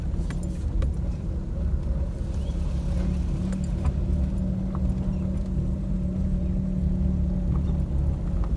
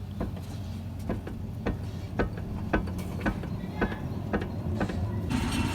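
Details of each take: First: Maruti Suzuki Alto on rough dirt road after steering rack replacement: steady low cabin rumble, only faint rattles from door panels, no suspension knocks; previously knocked loudly when steering left and right. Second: Maruti Suzuki Alto, wheel off, front left wheel rocked: sharp metallic knocks about two a second, louder than right side; worn steering rack bush with excessive play.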